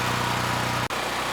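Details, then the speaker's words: Neglected Generac GP5500 generator (model 0059396) revived after carb cleaning, running with no load at about 4.1% THD. Steady, even drone at constant speed, no surging or misses; normal no-load running. "Uh the engine is running nice and smooth, and the THD without a load isn't too bad."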